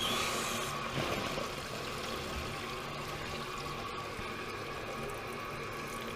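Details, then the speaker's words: Toilet after replacing the broken fill valve and sticking flapper and lengthening the snagging chain: steady hiss of water refilling the tank with a softer trickle into the bowl, even and uninterrupted, normal refill. "this is where your water goes to fill up your your bowl when you don't need it while the reservoirs got its share"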